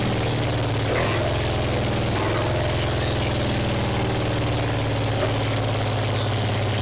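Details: 1966 Triumph Spitfire MK II four-cylinder, off the road 41 years, running on its own fuel after valve cover refitted: steady, even low idle, loud from a huge exhaust hole, backfire through the carb.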